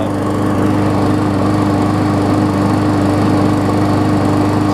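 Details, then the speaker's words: Murray big-wheel mower with its original engine, after fitting the base plate from a swapped engine that had blow-by: starts first pull and holds a steady, even single-cylinder drone with no misses or knocks. "just want to finish this follow-up to this mower here and show that it runs hopefully runs good it starts on the first"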